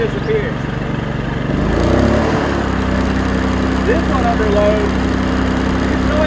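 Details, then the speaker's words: Champion 2000W inverter generator (1700 running watts), new, eco mode at light/no load: brief rev change then steady even low hum, no hunting or knocking; normal running. "the champions in eco mode now just list for quiet loads off"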